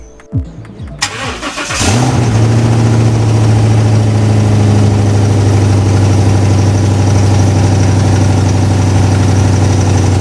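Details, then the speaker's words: 2018 Ford F250 Super Duty after new catalytic converters welded in, downstream O2 sensors not yet fitted; cranks, catches, then a loud, deep steady idle sounding like an exhaust leak, expected to quiet with sensors installed. "It's still pretty loud. We'll see what it sounds like once the O2 sensors are in. I imagine it'll quiet down quite a bit."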